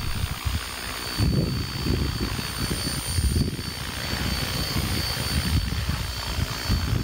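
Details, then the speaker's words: Helicopter hovering: steady whirring with rhythmic rotor chop rising and falling and a gear whine underneath, dominated by transmission noise and rotor self-interference. Normal hover noise. "here two sounds are dominant the transmission noise and the interference of the rotor with itself somehow"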